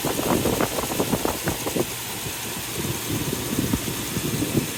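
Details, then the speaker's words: 2003 Toyota Tundra 4.7 V8 2UZ-FE, just after timing belt, tensioner and water pump replacement: steady even idle with light top-end patter, no misfire; good oil pressure, coolant being bled; healthy. "Let it run for a while to get this coolant fl. Damn. Sounds really good."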